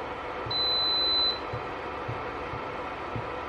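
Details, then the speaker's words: Electrolux single induction hob, broken glass, on the bench with a pot: one long shrill beep, then faint soft ticks about twice a second. The hob alarms and fails to turn on or heat. "đấy tít tít nghe được tiếng tà tạch to lắm ấy"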